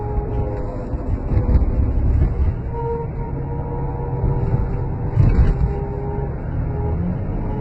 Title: Chrysler 300c Weird Whining Noise